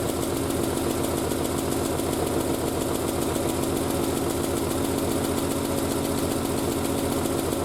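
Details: Triumph Spitfire after a single-carb conversion, off choke after about 1.5 minutes of running, exhaust wrap still steaming. Steady, even idle with a light regular tapping from the loose bonnet flapping, not the engine; the engine sounds healthy.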